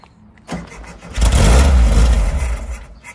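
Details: 1970 VW Type 2 Bay Window with 1641cc air-cooled engine, unstarted about six months, on easy-start spray: cranks, catches into a rough low roar for under two seconds, then fades; runs only on the spray, fuel starvation likely.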